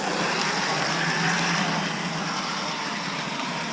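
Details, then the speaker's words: 1989 Lionel GG1 8303 Amtrak locomotive (6-18303, new old stock), after cleaning old grease and re-lubricating, running forward and reverse as voltage is raised: steady, even whir with a light regular patter, no binding. Current draw dropped from 3 A to about 2.7 A; normal running. "So it is running much better. Turn up the voltage a little bit here."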